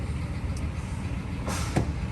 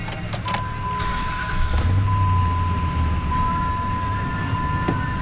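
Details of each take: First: Dodge Ram pickup with 198,000 miles, year unsure (maybe 2004), with the check engine light on: the V8 idles with an uneven, lumpy, clunky rumble and a stumbling beat from a misfire. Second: Dodge Ram pickup (owner guesses 2004), 198,000 miles, brought in for misfire: after repair, V8 started and idling with steady even low rumble, no stumbles or shaking; normal idle.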